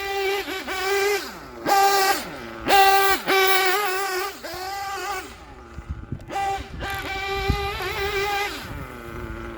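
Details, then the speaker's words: Gimar P5 (Novarossi P5XLT) nitro engine in a Hyper 7 buggy, after break-in, being leaned in eighth-turns, still rich with smoke trail: crisp high-pitched revs snapping up and back with no sputter or gurgle, clean healthy running and idle. "that's a lovely Idol I am digging that uh that Idol is not upsetting me one bit"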